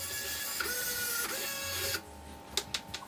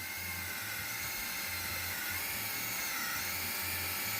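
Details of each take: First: RC car winch on a full-power third-channel controller, cable held back by hand: strong, steady high-pitched gear whine for about two seconds that does not sag under load, then a few clicks; normal winch operation under load. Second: RC car winch on a third-channel winch controller, holding the line under load: a thin high buzz with a low pulsing motor growl, only because a small voltage is reaching the motor.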